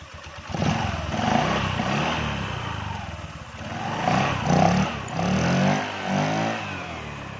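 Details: Honda Vario 125 scooter after replacing CVT parts (rollers, slider pieces, rubber dampers): engine catches and takes smooth throttle blips, pitch rising and falling evenly with no rattle or scrape; drive healthy after repair.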